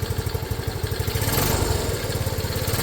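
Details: Restored Honda CT90 four-stroke after one kick start, fuel mixture screw not yet adjusted: small single thumps at a quick, slightly uneven idle that settles, some intake sucking audible; normal idle.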